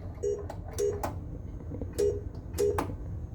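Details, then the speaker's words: Bram Stoker's Dracula pinball machine, switch test of the flipper end-of-stroke switches: four short mid-pitched beeps, each after a flipper clack, as the switches register. Normal switch test beeps. "We wanted to test our end of stroke switches. Listen for it. There we go. Left flipper end of stroke."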